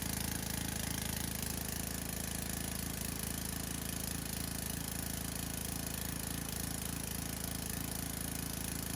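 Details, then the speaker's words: Small petrol pressure-washer engine from a non-running junk lot, likely left outside over winter: steady, even single-cylinder beat around three a second with no misses or knocks; engine fires right up and runs well, though the pump makes no pressure. "Well, that thing fired right up. It runs awesome."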